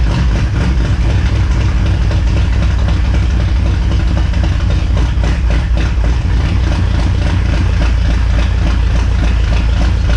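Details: 1969 Ford Fairlane with a stock 302 5.0L V8 and 3-on-the-tree, cold idle: a deep, even V8 rumble with a steady beat and no knocks or misses. Normal cold idle.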